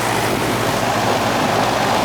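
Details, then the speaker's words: Old Goodman AC outdoor unit that was not cooling, compressor previously not running, started after the weak capacitor was addressed: steady, even hum with constant fan rush and no clatter or buzzing; the compressor is starting and running normally. "doesn't sound like it will it run russell's running now i could hear it"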